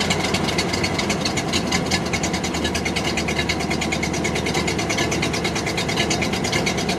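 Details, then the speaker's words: Barn-find 1929 Ford Model AA four-cylinder, first start in over 30 years after a sticking carburetor float, no coolant: catches into a busy, slightly uneven idle with a hollow beat; seems down a cylinder. "there she goes. She is running. Definitely seems like we're down a cylinder though."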